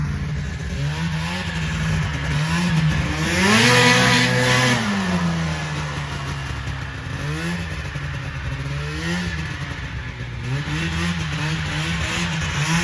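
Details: 1980 Yamaha Exciter snowmobile, revived after sitting 19 years, ridden in the yard on first snow: crisp two-stroke buzz rising and falling cleanly with throttle, no knock or rattle; normal running under load.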